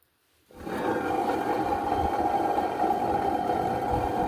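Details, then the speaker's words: Peugeot 505 wagon while driving: a steady droning hum with a low rumble from the front end, noticed occasionally over recent months. Owner suspects the wheel bearing grease is spent or the bearing races are damaged: front-end humming noise. "We did notice in the past couple of months, occasionally we'd hear a low noise from the front end. This is the low noise that needs to be addressed."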